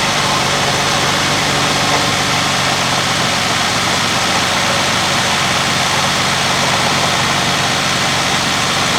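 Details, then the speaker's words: Cadillac with early throttle-body fuel injection, first start after replacing spark plugs: even, steady idle with a smooth low drone and no knocks or misses; runs cleanly. "Now, I don't know about you, but that sounds pretty dang good to me."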